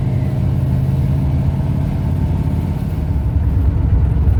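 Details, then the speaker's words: 1971 Ford Torino, rebuilt 302 V8 with C4 automatic, test drive after carburetor tuning with air cleaner refitted: steady, deep, even drone under load while driving, no pinging, rattles or knocks. Pulls well and smoothly; carburetor might still need jetting changes. "Well, it's running pretty good. It's not a rocket ship by no means, but the old car pulls itself pretty darn good. So it's good and smooth as far as driving it."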